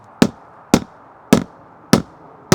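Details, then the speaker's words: Boat transom tested with hammer taps during used boat inspection: five short dull thuds with no ringing ping, indicating a completely rotted transom core. "this transom is rotted completely rotted so it sounds like a thud"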